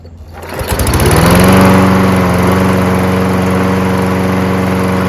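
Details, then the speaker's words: Toro Recycler with Kohler XT675 engine, which had started then stalled after 5 seconds, after a carburetor clean with the main jet cleared: fires on the first pull and holds a smooth, steady governed speed with no surging. "Perfect. First pull. That's all it was. Needed a carburetor clean."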